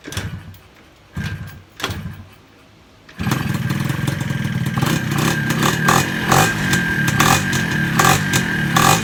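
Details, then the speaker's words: Yamaha 125Z two-stroke motorcycle with 1mm jet, first start with exhaust fitted: a few kicks, then catches into a busy, clattery idle with rough blips; loud because the top cover is off. "Sekarang korang dengar bunyi tu kan. Kan bising kan. Okay, korang tengok nanti lepas aku pakai penutup atas ni."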